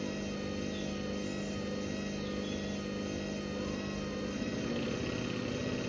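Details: Hoover Link HL1682D3 washing machine, body badly damaged and door seal twisted from earlier abuse, on spin: extremely loud steady roar with the whole leaning cabinet rattling and banging; still works but shakes violently.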